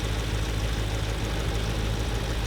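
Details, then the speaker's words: 2018 Jeep Grand Cherokee SRT 6.4L V8 at idle: loud, deep idle with a faint quick tick steady with engine speed; owner suspects a Hemi tick, heard most near walls, and possible other performance issues, unconfirmed. "a little bit of a tick going on and you guys can let me know cause i'm pretty sure because i am pretty sure that we have a little bit of a hemi tick going on here"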